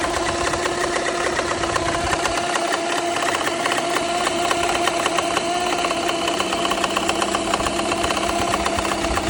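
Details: BMW N54 at idle: fast light ticking/knocking at about four a second over the engine hum. It follows a cylinder 1 misfire that seemed to stop after replacing that fuel injector. No check engine light; cause unknown.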